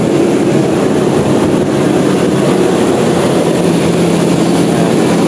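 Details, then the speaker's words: Toyota Revo diesel on a cold start, warming up after work on bearings, including the AC and power-steering tensioner bearings, and replacing the belts: steady, even idle with no squeal or chirp; the squeak had occurred with the AC on. "So yun wala na ung squeaking sound niya no aantay natin siya mag normal tos titignan natin kung mawawala or I mean Magi squeaking sound pa rin siya p nag aircon tayo"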